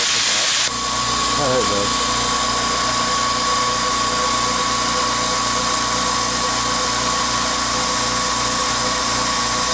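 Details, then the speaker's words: California Air Tool compressor after home repair of a factory defect that failed it at about five hours of runtime: motor kicks on after a brief quiet start, smooth steady hum, no knocks or grinding, pressure building; repair works. "success if the pressure builds up you can hear it is a quiet compressor pressure is building up"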